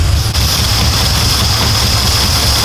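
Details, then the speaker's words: Audi S4 4.2 V8 started after about two years sitting during a rebuild: uneven, lumpy idle that hunts instead of pulsing steadily; owner suspects it is misfiring on seven of eight cylinders, not yet diagnosed. "but yeah it seems like it's missing maybe maybe running on seven instead of eight"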